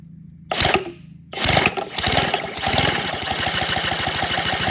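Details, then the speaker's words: Redesigned 157cc inline twin compressed-air engine, 3D printed, running slow: catches, then chuffs in a fast, slightly uneven beat; abnormal running, and the owner suspects a bearing overheating, unconfirmed. "But y'all, I know something is it's just something I don't know. Like, I think something's overheating. Maybe one of my bearings or something. Like, it just felt a little gushy."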